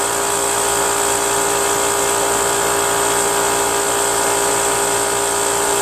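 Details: Brute Briggs & Stratton 10-gallon 125 psi air compressor after reed valve, gasket and oil change: continuous constant-pitch pump whir, no cut-out click at about 125–140 psi despite adjusting pressure switch set screw; check valve suspected stuck.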